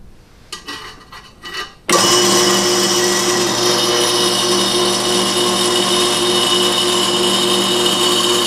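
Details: Accusize tapping head on a dedicated tap station with a new drill, tapping with Tap Magic, set near the "two" line: after handling clatter, a steady, even motor whir at a constant high tone, running properly.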